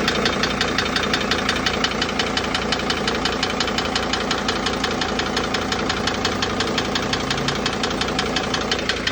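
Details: Sprinter T1N OM647 diesel van, 182k miles, knocking 5,000+ miles, few metal flakes at oil change: steady idle with a sharp, even knock about twice a second over diesel clatter; owner unsure if injector or larger internal problem.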